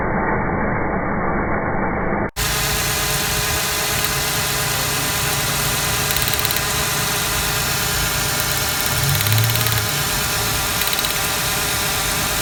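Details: 1996 Ford Explorer Sport 4.0L, code P0303: idle runs with an uneven, stumbling beat and irregular missing pulse, cylinder 3 getting no spark, traced to a bad spark plug; cylinder misfire.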